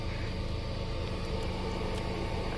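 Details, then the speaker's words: Holden Astra fuel pump under the seat, running after the car sat for many years; low, steady, even hum with no surging or whine, normal fuel pump operation. "and you can hear it working like it's supposed to actually makes noise"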